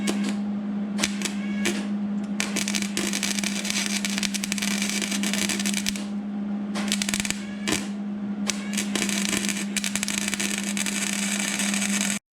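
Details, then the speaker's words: MIG welding a replacement rocker panel on a 2002 Mercury Sable station wagon: arc snaps and crackles in irregular bursts over a low hum instead of a steady frying sizzle, a sign of poor welding. "you could tell i was struggling because it was just sort of snapping and cracking it wasn't making a nice sizzling sound like i've always been told when you're welding good"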